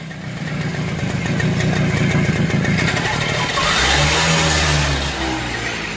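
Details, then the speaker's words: Super XL bike, silencer fully blocked with oil residue/carbon, no airflow through pipe: engine chuffs about four times a second, revs choked and muffled, no pickup, bike won't move. Exhaust restriction. "Bike start అవ్వడం లేదు. ఒకవేళ start అయినా కూడా, బైక్‌కి అస్సలు pickup లేదు, అది పూర్తిగా ఆగిపోయింది."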